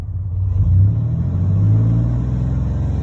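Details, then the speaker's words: 1996 Chevy 1500 work truck, 4.3 V6, idling after new mass air flow sensor replaced the dead one (read 0.01, truck would start and die): smooth, steady low rumble without stumbling; normal idle, repair successful. "It wouldn't fluctuate or anything. But there it is. She's fixed."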